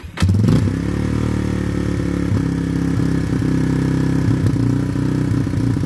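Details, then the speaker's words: Yamaha Warrior ATV, new plug and fresh oil, old carb still fitted, sat a week with fuel on hoping to clean it; owner plans carb swap. Catches and idles with uneven, lumpy beat and occasional stumbles: rough running. "i'm gonna try to start it up see if it runs any better than the last week when i had it running although uh i doubt it"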